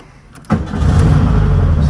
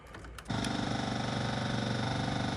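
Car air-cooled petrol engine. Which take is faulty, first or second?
second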